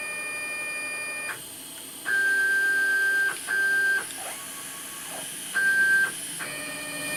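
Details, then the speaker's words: Homemade JGRO CNC router, new larger Y-axis stepper motor (replacing 80 oz motor) after Mach3 tuning to velocity 39: short bursts of steady high-pitched whine start and stop cleanly with each jog, no stalling; bigger motor noticeably noisier; normal jog. "that bigger motor is quite a bit noisier isn't it"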